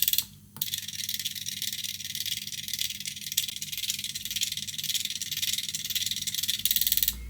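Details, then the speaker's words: Air-conditioner electronic expansion valve on a test PCB, frequency raised from 50 Hz toward 150 Hz: fast thin buzzy rattle of stepper pulses, steady and even, intensifying with frequency; valve stepping normally. "Man mano che aumento la frequenza andrà sempre più veloce fino a 150 Hz."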